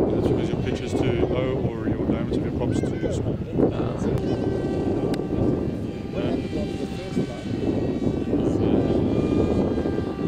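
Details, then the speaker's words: BULLET v9.0 pusher RC trainer plane in flight, 945 prop: high ringing motor note above the pass-by rush; prop spinning too fast and biting too little air, over-revving, suspected due to low prop pitch. "you can hear how the how the engine's ring it's cavitating it's just cutting the a okay and that's cuz of a low pitch"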